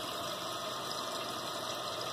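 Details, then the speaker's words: Repaired running toilet: steady, even rush of water refilling the tank with no squeal or chatter, the float rising to shut off the fill valve; no leak. "see it going up there what's coming up and there you go no leak"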